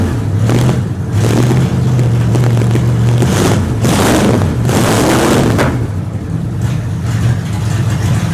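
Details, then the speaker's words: 1929 Chrysler with new DIY 2.5-inch exhaust and mufflers fitted, recorded from the rear of the car as a sound check: deep, even low exhaust drone with gusty noise over it, no rattles or blowing leaks; normal idle. "But anyway, the mufflers sound real good."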